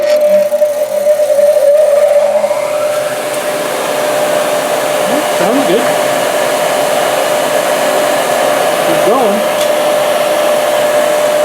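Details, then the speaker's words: 22-year-old used 8-inch bench grinder plugged into a 20 amp outlet: short spin-up, then a steady, clean motor hum of constant pitch with no grinding or rattle, normal running. "It's working. 25 bucks. I thought for 25 I might have got stunk."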